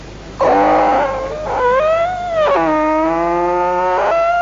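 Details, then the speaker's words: Bullock-cart wheel with no oil or grease: loud, wavering squeals rising and falling in pitch roughly once a second, a dry, unlubricated wheel hub. "আগেই বলেছি চাক্কার মধ্যে তেল mobile কিচ্ছু নাই এইজন্য শব্দটা এরকম হচ্ছিল"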